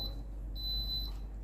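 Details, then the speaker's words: Philips GC6720 (GC67XX) steam generator iron with orange light flashing constantly and continuous beeping. Repeating high-pitched beep, half-second on/off: descale reminder. "ให้กดปุ่มนะครับผมตรงไฟสีส้มนะครับ2วินาทีนะครับผมค้างไว้นะครับจะได้ยินเสียงดังปี๊ดยาวนะครับ"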